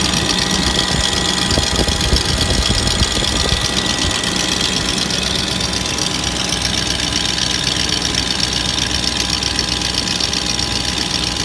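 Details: 2004 Range Rover HSE, BMW M62TU 4.4L V8, after a full timing chain job and Beisan VANOS seal kit: loud, uneven, stumbling idle of about four pulses per second under a steady hiss. Codes P0011 and P0012; rough idle, cause unconfirmed.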